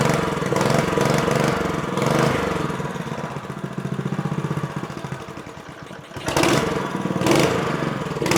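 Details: Honda GX160 5.5 hp four-stroke on a Bocart off-road go-kart, standing 10 years with fuel gumming the carburetor; after carb and jet cleaning, started on choke with drive chain removed, it pops steadily at fast idle with a couple of clean throttle blips: normal running.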